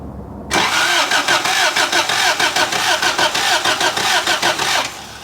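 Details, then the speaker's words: 1983 Toyota 4x4 pickup, 22R 4-cylinder, sat at least 10 years: starter churns steadily about three beats a second but engine never catches; no spark at the coil wire, distributor rotation to be checked. "nothing that ain't good no no spark hold that coil wire right there"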